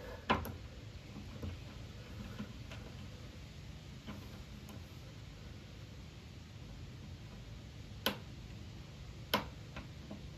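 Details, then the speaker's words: Honda HRX217HYA mower self-propel drive, half-moon spring ratchet key reinstalled after pinion gear work: faint, scattered clicks as the wheel turns backward; ratchet catches and releases normally, stops going forward. "so that's right you can feel it going backwards and then forwards it stops you don't want it going forwards this way"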